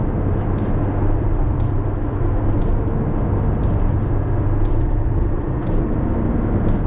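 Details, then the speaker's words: Porsche 718 Cayman driving around 38–60 mph: low constant growl under tyre roar, builds as it warms and changes tone in right turns loading the left rear; worn left rear wheel bearing. "So, right turns, loading the left rear certainly changes that audible tone."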